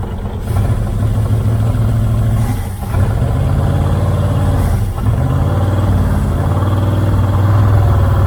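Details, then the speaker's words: 1978 Dodge Aspen R/T, sat since 1987, carb float suspected full of dirt: deep uneven rumble with two sagging stumbles nearly dying then recovering, on fuel poured in, a little smoke, Seafoam tried; rough running. "i can't get it running consistent enough to really hear it if it's clearing out it seems like it's cleari"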